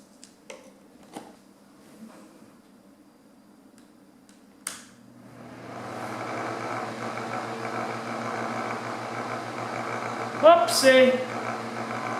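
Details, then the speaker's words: Honeywell table fan, reassembled after cleaning and lubrication, spins up to a steady low hum with a fine buzzing rattle still present; rattle traced to motor shaft end play. "whoopsie we still got our rattle I'm going to guess one other thing it's still rattling"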